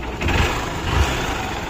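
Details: Hero CBZ Xtreme motorcycle, apparently after a seized-piston repair with piston and valves replaced: steady low single-cylinder idle with even beats and no knock or rattle; normal idle.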